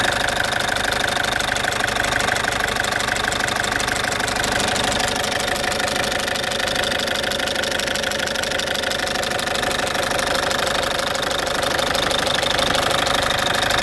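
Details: Citroen C5 2.0 HDi 100 kW diesel idling: loud, busy with a steady rapid tick about three a second, owner suspects around the injectors; injectors, piston rings, valves and valve seals redone 15,000 km earlier; source unknown.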